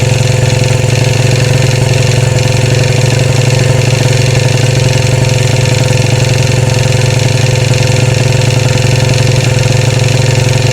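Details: 2013 Royal Enfield Classic 500 single, rebuilt after teardown to remove stray M5x35 bolts: decompressor noise gone, steady idle with a light metallic rattle swelling and fading, about four beats a second; oil level okay, owner to check tappets and rockers, source unknown.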